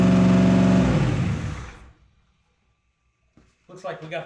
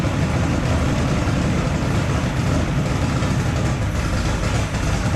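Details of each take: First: First startup after Holley Dominator EFI install: engine races at a high steady idle then cuts off; idle screw not even touching the butterfly, something holding the throttle blade open, owner suspects maybe a vacuum leak; plan to readjust and redo TPS auto-set. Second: Drag street car on a new Holley Dominator EFI, first proper start after wiring and settings changes, TPS auto-set done, possibly running rich: loud, deep, lumpy engine note holds steady, then shuts down; running normally.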